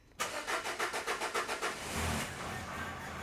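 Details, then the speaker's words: 2013 Nissan MV200 diesel with codes P0087 (rail pressure too low) and P0190: starter churns about 3.5 turns a second for nearly two seconds before catching; extended crank time, cause not confirmed. "But we actually started this off camera, and it has got an extended crank time."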